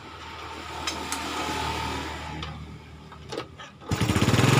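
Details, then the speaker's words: 2010 Yamaha Vega ZR motorcycle engine: rough idle with a loose clatter, then a harsher rapid knock when revved; rumbling noise around the cylinder block and head, exhaust sometimes smokes white. "Masalahnya adalah mesin mengeluarkan suara berisik seperti gemuruh di sekitar blok piston dan kepala silinder."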